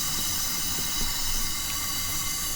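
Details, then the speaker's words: Lotus Esprit engine on a leak-down test showing 92% leakage: steady, loud air hiss heard at the charge cooler hose and coming out of the turbo. "We are experiencing 92% leak down, and even without using a scope or a stethoscope to pinpoint it, if we come near the charge cooler hose, you can hear it hissing through there."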